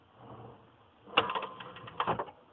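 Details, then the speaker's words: Top kitchen utensil drawer fitted with a Soft Close Systems closer: a quiet slide, a plastic click as the spring catch grabs the red latch piece, then a short soft run-in to a gentle close. Working normally. "Primarily because there's a spring right in here that helps pull it closed at the end."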